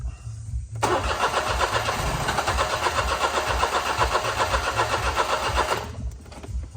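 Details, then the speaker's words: 2009 Smart Fortwo 451 cabriolet, cold, with a gauge teed into the fuel injector rail: steady rapid starter churning for about five seconds without firing. Rail pressure reads about 30 psi against the 50 psi needed, so the tank is to be dropped. "anyways um I should be hitting 50 psi that 30 is a bag of BS so we're going to lift the car up drop the tank"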